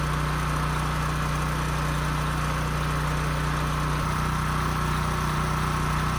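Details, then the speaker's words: Husky portable generator that sat 5 years with bad fuel and a leaking gas tank, after carburetor cleaning, fuel-flow fix and a new governor spring, run outside: steady, even drone with no hunting, output close to 61 Hz, running normally. "Close to 61, so I could push it a little bit more, but I think that's good."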